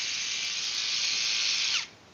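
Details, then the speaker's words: Undersized brushless jigsaw run at full speed: a thin, high buzzy whir for under two seconds, then it stops; from the sound it is judged to have little power, likened earlier to rattling a trash can. "You're telling me you wouldn't get this undersized jigsaw that just from listening to it you can tell has no power? It sounded like you're rattling a trash can when you turn that on earlier."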